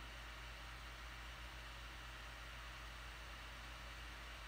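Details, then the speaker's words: Laptop cooling fan after opening it up and cleaning it, running under load: soft, even airy hiss with a low steady hum, no rattle or whine; quiet, normal fan noise, much reduced after cleaning. "tiếng kêu này là tiếng kêu rất êm và No1 khi cài đặt các là gì mình đã mở ra mình chùi rửa cái quạt cho phép mình gắn với lại tìm thấy kêu nó đỡ rất nhiều ạ"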